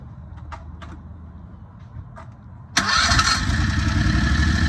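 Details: Predator 670 22HP V-twin golf cart engine started while the carburetor idle is being turned down from about 1800 rpm warm, target 1200–1300. It catches and settles into a quick, even idle that still sits high.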